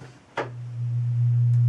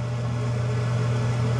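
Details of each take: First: Newly installed bathroom vent fan/light fixture with soft-start, switched on with flange and light installed: steady low hum with faint ticking rattle; something loose in the fixture, cause unknown. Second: Newly installed bathroom exhaust fan/light in the ceiling running: a steady, soft low hum with no rattle or bearing noise. It is much quieter than the old fan, with a slow, gentle startup; normal operation.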